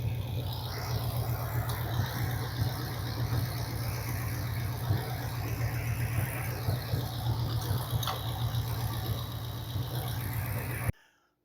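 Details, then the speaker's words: Corvette V8, timing light set to 12, after tuning with an exhaust leak still present: steady, even idle about four beats a second, smooth deep rumble; normal idle. "That's going to do it. We have two good running little hot rods right now."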